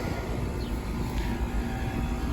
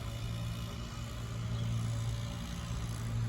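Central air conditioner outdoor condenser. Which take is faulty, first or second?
second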